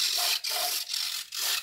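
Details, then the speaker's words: E-flite UMX Carbon Cub SS, left aileron servo: high-pitched whirring in short even bursts about every half second as it sweeps back and forth; left servo works, right aileron servo does not. "So the left aileron is working,"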